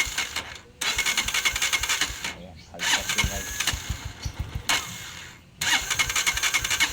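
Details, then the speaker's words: Honda TMX 125 Alpha before tune-up: repeated cranking bursts with ragged uneven firing and pauses, hard starting and hiccuping, plus loud valve tapping from excessive valve clearance. "Ayan, hard starting guys. [Musika] Ayan guys ah bukod sa hard starting, malakas yung ng kanyang bulve."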